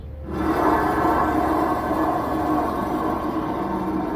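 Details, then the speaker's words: 2016 Ford Transit 350 front wheel hub spun by hand: loud, rough grinding rumble with metallic ringing from a bad bearing that roared louder with speed when driving, before hub assembly replacement. "I will correct whatever it is that I thought it was gonna be in it's not but you can hear that bearing"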